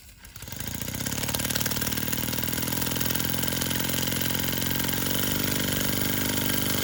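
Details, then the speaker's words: Sterlingkit model steam engine and boiler kit, run after tightening screws where water was seeping: quick, even chuff of about three beats a second holds steady after start-up, no knocks or misses; running really nicely. "This thing is running really nicely and everything seemed to be going perfectly."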